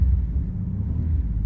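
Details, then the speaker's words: 1994 Dodge Dakota V6 idling in park, truck with a transmission problem and catalytic converter removed; steady even low rumble, no knocks, ticks or rattles; normal idle. "so I own a 1994 Dodge Dakota it's um a V6 it the engine purs you know know if you can hear it right now"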